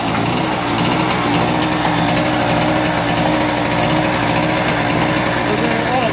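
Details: Harbor Freight GEN1250A generator modified with an automotive catalytic converter on the exhaust, just started and warming up with no load before a 500 W bulb is added: steady even buzz at constant speed, no misses or knocks; normal unloaded idle.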